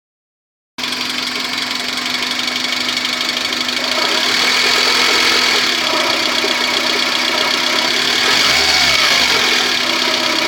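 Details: A Maruti Esteem MPFI petrol engine just above idle at 1200-1400 rpm hums steadily with an uneven knocking rattle about three to four times a second.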